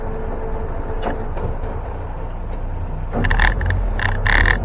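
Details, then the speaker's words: 1961 Land Rover Series 2 109" four-door station wagon while driving: loose, irregular rattling over a low engine drone, louder on bumps. The tailgate shifts around and needs better rubber bumpers. "It's the tailgate rattling around. It just needs better bumpers, rubber bumpers."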